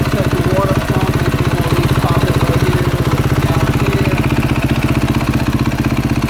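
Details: 2022 KTM 450 SXF after transmission repair (5th gear had failed), warm idle on stand during heat cycle while checked for leaks: steady, even thumping single-cylinder idle, constant beat, no knocks or misses; normal idle.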